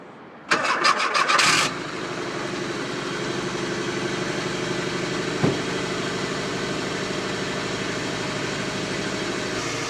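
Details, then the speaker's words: 1991 Volkswagen Westfalia van with a 2000 Subaru 2.5 L RS flat-four conversion, first cold start of the morning: short cranking whirr, quick catch, then a steady even idle with no stumble or tapping; healthy cold start. "I just did an initial startup that was the first startup of the morning so the motor's cold you saw how nicely it starts up you see how nicely it sits here in Idols"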